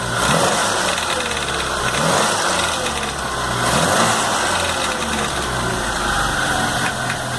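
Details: MG 1300 engine after rebuild, idling with an uneven metallic rattle over steady idle, not tied to a knock rhythm; rattle traced to the idler gear.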